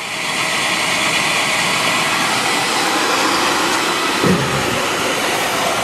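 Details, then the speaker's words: Beckett oil burner, Carlin Pro-Max control, after shutoff: steady airy blower rush with no flame, fan running on to dry the head and limit carbon; normal post-purge (adjustable, e.g. 300 s). "all right and we shut off solenoid valve should shut off there's still pressure in there obviously now we're in post Purge"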